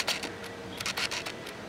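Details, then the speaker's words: Pentax K-01 mirrorless camera autofocus: short buzzy whirring bursts repeating back and forth several times before settling, slow noisy focus hunting, normal for this camera. "and whenever you focus it goes back and forth a few times before it settles down and acquires the proper Focus"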